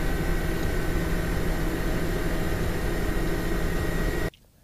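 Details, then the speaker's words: Budget £250 APU gaming PC at idle: constant loud rushing whoosh with faint steady hum, fans running hard because faulty temperature sensors make fan profiles hard to set quiet without overheating; loud cooling fan noise at idle. "Number one, it's extremely loud and extremely difficult to configure the fan profiles to get it quiet without overheating, just due to the fact that the temperature sensors don't work properly. Here's what the machine sounds like at idle."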